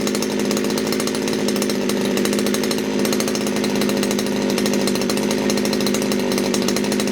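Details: Poulan Wood Shark chainsaw with a no-start problem, low jet just leaned out: it screams at constant high rpm without throttle and won't drop to idle; owner suspects a sticky needle and seat.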